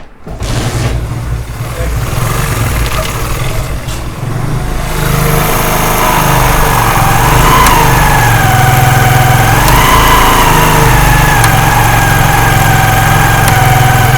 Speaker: आपने गौर करना, ये टक टक करके जो आवाज़ आ रही है, आवाज़ सुनी आपने।